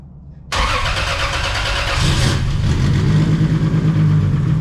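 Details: 2JZ-swapped Chevelle, first start, turbo with no blow-off valve. Starter cranks about a second and a half, catches, then settles into a steady, even low idle; normal start and idle.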